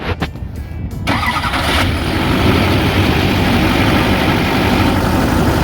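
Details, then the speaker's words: 2008 GMC Sierra 3500HD 6.6L Duramax diesel, Allison, 127,223 miles, parked since about 2021–2022, new batteries: a few quick cranks then catches within a second into steady even clatter; normal cold start. "Give it a little bit. It starts right up. You can hear it run."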